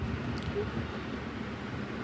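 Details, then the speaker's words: 2012 Mercedes-Benz E63 that cranks but won't start: steady starter churning with no catch; the fuel pressure test point shows no fuel arriving at all, although the cluster shows 20% fuel. "ये fuel pressure check करने का जगह है। तो अभी बिल्कुल fuel नहीं आ रहा है।"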